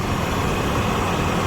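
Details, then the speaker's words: 1999 Chevy Astro AWD, 4.3 V6, idling just after radiator, hose, thermostat replacement, flush and secondary trans cooler install, needing more fluid: steady even rumble, no misses, ticks or squeal, nothing dripping; healthy idle. "sounds smooth yeah definitely need more fluid in there but as we can see below nothing's dripping that's a great sign nothing's squealing it's another great sign"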